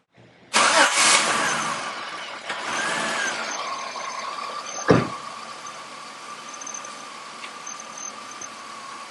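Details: Fresh start with a brand-new oxygen sensor installed cold on an engine earlier running very lean with a random misfire: crank catches quickly, revs flare then settle into a smooth, even idle with no stumble; normal start and idle.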